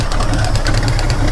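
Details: 1949 White wrecker truck at idle: fast steady ticking over heavy engine idle, tracking engine speed, with popping possibly from air pump; air leak with oil nearby, ticking source unconfirmed.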